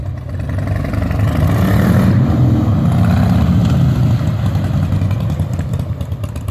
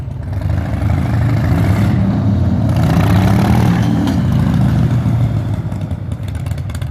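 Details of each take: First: 2003 Harley-Davidson Softail Standard V-twin pulling up through the gears after changing to 20W-50 synthetic motor and primary oil and 75W-90 transmission lube. Changes are soft and muted, much quieter than the earlier clunk; shifting is normal. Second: 2003 Harley-Davidson Softail Standard V-twin pulling from standstill through first to third, before transmission, primary and oil changes: revving with clunky knocks as shifts land; hard shifting.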